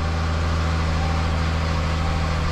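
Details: Jaguar supercharged engine idling cold just after an aftermarket crank pulley install, with an open air intake: deep, steady, even idle with a smooth low hum and no knocks or ticks, no engine light. Normal idle.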